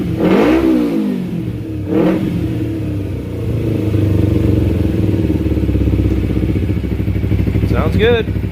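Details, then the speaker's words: 2008-2012 Kawasaki Ninja 250R after tune-up (oil change, new plugs, carb cleaning; redline 13,000 rpm): crisp throttle blips climb smoothly and fall back to even idle, no misses or rattles; healthy engine. "the red line's at what 13 13 000 sounds healthy"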